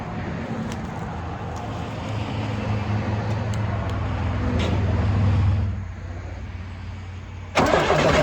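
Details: 1995 GMC TopKick with a Cat diesel, started after sitting: cranks briefly, catches and settles into a rough, clattering idle with a little smoke (cause unknown), good oil pressure, and a low-coolant warning that clears; normal cold start.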